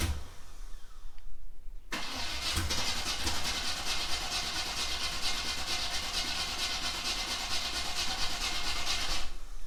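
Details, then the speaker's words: Third-gen Camaro Z28 with 355 V8 and TH350, first start after sitting all winter; nearly two seconds of cranking, then a loud raw uneven bark through open headers, cold start after storage. "all right let's see if it'll fire up it's open open headers sounds like crap yep"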